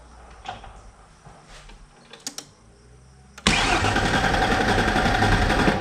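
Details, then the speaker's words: 1994 Mazda B3000 after swap to the 4.0 OHV V6 from a 1994 B4000 with auto-to-manual conversion: quiet clicks, then steady cranking about four beats a second that never catches; pump runs, plenty of fuel, starts on brake clean, so owner suspects no injector pulse. "We know we have a spark cuz it starts on brake clean. Um, yeah, must not have injector pulse, which is weird if I have spark."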